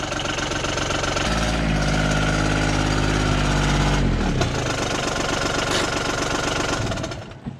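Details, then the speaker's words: John Deere Gator 850D diesel after fixing a no-crank caused by a faulty transmission neutral safety switch: cranks, catches and settles into a steady, even idle with no misses or knocks, charging okay, then shuts down cleanly. "well get it there and it's charging okay as well"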